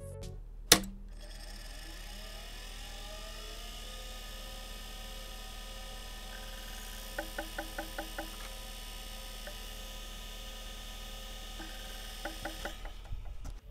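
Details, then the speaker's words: IBM PS/2 Model 30 (8086), bought faulty, powering up with the microphone close to the unit. A steady high spin-up whine with bursts of quick chirping ticks a few seconds in: the hard drive sounds unhealthy and is failing. "well the hard drive is making an unhealthy noise"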